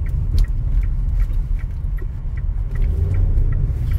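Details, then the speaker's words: Toyota Corolla at 100,000 km, road test over rough pavement after correcting wrongly mounted upper shock plates and replacing faulty bushings and suspension parts: only low road rumble and tyre noise, no front-end knocks or clunks; the noise has stopped. "o barulho parou senhoras e senhores vou passar nessa trepidação bem aqui na trepidação ó fica quieto o barulho parou sim senhores"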